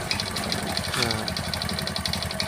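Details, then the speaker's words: Honda Supra X 125 idling, engine rebuilt only a month ago: sharp, fast metallic tek-tek ticking over steady idle; clearly worn, loose piston slapping, to be remedied by pressing method. "ini itu udah jelas pistonnya ngetek banget ya teman-eman"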